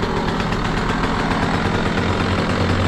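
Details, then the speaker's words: KTM SX 85 two-stroke after carburetor cleaning and fresh fuel: crisp, even ring-ding at steady idle with no stumbling, revving up immediately, big improvement over before. Normal idle. "dobra Myślę że powinno być git bo jest duża różnica"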